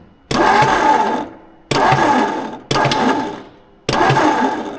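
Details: 1958 Ford Fairlane bought at auction, unknown last run, with crudded ignition points being checked: four roughly one-second starter bursts with no cylinder catching; cranking no start.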